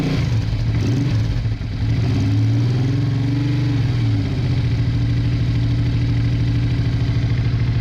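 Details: Honda Bros/Hawk GT 650 (late-80s V-twin), just started after battery trouble, briefly on one cylinder, now running on both while warming up: deep, even idle, one brief rev rise and fall, then steady. Owner checking for a small coolant leak.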